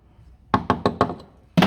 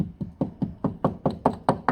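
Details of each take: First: Toyota Auris SR180 sill hammer-tapped underneath before MOT welding: after rotten sections nearby, four firm taps and a heavier one sound dull and solid with no crunch, on a heavily coated area; solid sill metal. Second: Toyota Auris SR180 sill tapped gently with small hammer underneath: dull, dead taps, about four a second, no ring, sounds tender; sill rotted through and packed with rust, needs welding for MOT.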